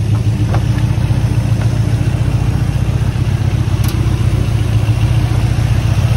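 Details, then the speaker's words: 1979 Ford F-150 with tool body, sitting since 1999, now running untuned on hot-wired ignition; deep, steady V8 rumble with even firing, no knocks or misses. Oil light on, shifter possibly has linkage problem. Normal idle. "one real I mean I haven't touched it I haven't tuned it done eating crazy hot wired ignition unreal really just running beautiful"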